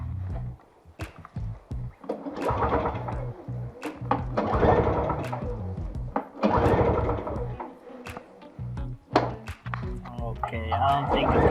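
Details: MTD snowblower, obtained free, previous owner said it would start but not keep running; seems to have gas, ignition on, primed and choked: repeated rough recoil pulls with brief coughs, never catches; cranks but won't start, cause unconfirmed.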